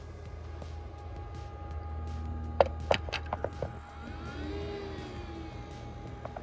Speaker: The power button is on the back side here, and this is what it sounds like starting up.